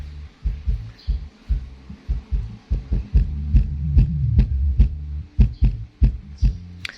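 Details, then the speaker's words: Polk Audio PSW125 active subwoofer amp board, repaired after a no-power, no-sound fault, tested into a speaker: deep bass thumps come through clean and punchy with no hum, buzz or rattle; working properly. "คือถ้าเข้าตู้เข้ากับตู้ของตัวโค้กตัวนี้น่าจะดังดีครับผมเสียงดีเลยแหละนี่นะ"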